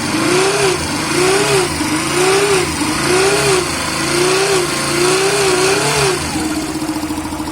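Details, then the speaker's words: Yamaha Factor 150 single-cylinder motorcycle idling with a wavering whine rising and falling about once a second, on the right side of the engine; characteristic noise of a faulty stator, fixed by replacing the stator. "Primeiro vamos funcionar ela aqui, para vocês verem esse ruído característico aqui desse defeito."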